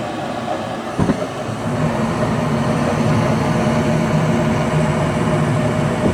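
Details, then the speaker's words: Goodman furnace after replacing the failed inducer motor and gasket, which had hummed and caused a burning smell and no heat: steady low burner roar over even blower hum, no scraping, squeal or rattle; running normally. "alright guys so that was a simple one Goodman inducer motor we'll get these guys back feeling warm and that's about it"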